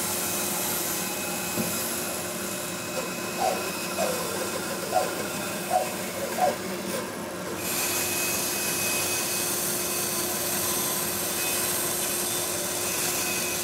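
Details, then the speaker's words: Bandsaw cutting a round green honey locust bowl blank with dust collection running. A steady motor hum at an even tone, with a short run of soft regular bumps as the blade bites the wood. Cutting cleanly and normally. "now i'm going to cut this blank out and i wouldn't dream of doing this without dust collection so we'll cut this around"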